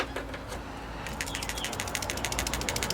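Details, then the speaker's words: Old PCV valve removed from a Subaru WRX and shaken by hand: a loose, even rattle of about three or four clicks a second, some crust but moving freely and not jammed, the sound wanted; replaced anyway. "this one doesn't seem like it's in too bad of a condition because you want it to be loose in that middle bit like that's the sound you want"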